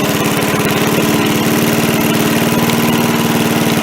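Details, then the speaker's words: MTD push mower after carb cleaning, carb refitted: holds a low, even idle and never climbs when the throttle is moved, though the linkage moves; the throttle spring was misrouted. "It really doesn't do anything. I can move the throttle. So I don't know. The linkage is moving it."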